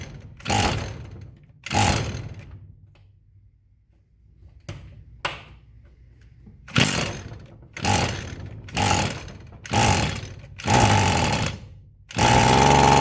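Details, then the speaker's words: Echo SRM-210 string trimmer found discarded, idle time unknown, with a deteriorated purge/primer bulb: repeated pulls give short sputtering bursts that die, then it catches. Hard starting from poor fuel delivery. "Okay, that sounded promising. Try to put a little more fuel in there and see if it'll run."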